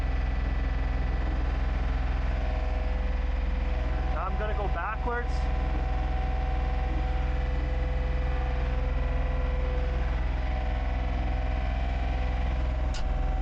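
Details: John Deere 1445 with rebuilt Yanmar 3TMV882A three-cylinder diesel, first start after rebuild: steady, even mid-throttle beat with no knocks or misfires; running healthy.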